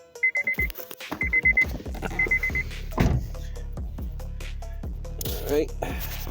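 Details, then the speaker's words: Honda Civic 8th gen with spark and fuel confirmed, cranked on a battery borrowed from an RSX that is running down. Warning beeps, then the starter churns in steady pulses but the engine never catches. "I gave it a go and this time it did it a couple times like I wanted to start more only issue I have is my battery is running down"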